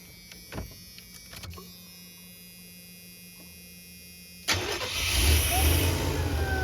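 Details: Chevy G20 conversion van after an injector that wasn't squirting woke up and began squirting, codes 15 (coolant temperature sensor) and 44 (lean) stored: a few light clicks, then it catches at once and settles into a steady, even idle; starts and runs normally.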